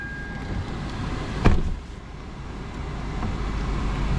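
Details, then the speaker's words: Pearl white Lexus IS300 with about 105,000 miles, 2JZ engine, at a dealer auction, pulled out and idling: soft, steady low rumble with no ticks, misses or surging, faint outdoor background; purring smoothly. "oh yeah oh oh yeah oh yeah oh she's purring"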